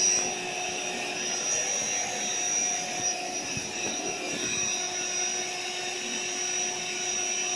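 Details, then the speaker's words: AeroBed Deluxe Raised double air bed's built-in inflation pump running with a steady, airy whir at one constant pitch, with no surging or rattle. Pump and deflator work normally; a pinhole leak somewhere in the bed is suspected. "So basically the pump works and the deflator works which is just here."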